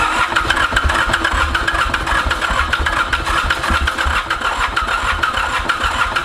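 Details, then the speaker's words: Ransomes Bobcat diesel mower, Mitsubishi K3D engine, first start attempt after 9 years, cranked after a huff of starting fluid while flooded with excess fuel: steady starter churn with occasional scattered uneven pops, close to firing but not running; hard starting. "man this thing is so close to going you can you can hear it wanting to just jump huh"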